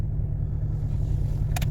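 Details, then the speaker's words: Mercedes W245 B-Class with an automatic gearbox, cold start, misfiring only when cold and only on cylinder four: the ECU has cut injection to that cylinder. Deep, lumpy, uneven idle with shake, running on three cylinders. Single-cylinder misfire. "O teraz już słychać jak pracuje na trzy"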